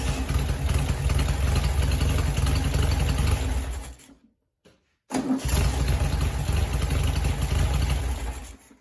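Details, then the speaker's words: 1966 VW Beetle with single-port 1680cc engine and EMPI dual 34mm EPC carbs: fires straight away and holds a steady idle around 750 rpm, idle mixture screws one turn out on both sides; shuts off and restarts easily, though still running too rich and needing smaller jets. "all right so idle is set just around 750 rpm um idle mixer screws are out exactly one full turn on both sides seems to be okay there likes to idle nicely fires it up by the turn of the key"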